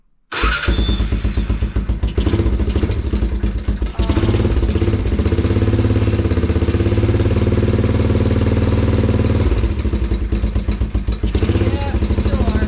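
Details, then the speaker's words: 1987 Honda TRX350 Foreman after an oil change, carb cleaning and valve adjustment, with the exhaust valves found a little tight. It still runs with a rough, uneven slapping tick over the idle; top-end knock, cause not pinned down. "Alright, so we adjusted the valves. The exhaust valves were a little bit tight. We still get some slapping."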